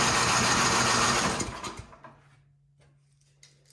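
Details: 24-inch MTD Yard Machines snowblower, carburetor found unbolted, refitted with new intake gasket, full choke: starter spins about 1.5 s, never catches, winds down; no fuel getting through.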